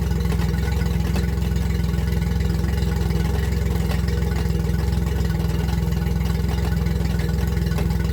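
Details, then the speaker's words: Yamaha four-stroke outboard running in forward gear: steady low drone with a regular click about three to four a second from the lower unit; gear oil drained milky and gluey, clicking persisted after oil change. "So there's a clicking noise whenever I turn my engine on and I'm moving forward on the lower unit on my Yamaha here, and I'm gonna show you."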